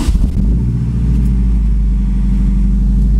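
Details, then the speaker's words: Honda S2000 AP1 with Precision 58/58 turbo, custom manifold and Haltech ECU, first start after rebuild: deep, even exhaust rumble settling quickly into a smooth steady idle; running healthily. "the boats not in there right that sounds good Oh [Music] yeah she's back she's back"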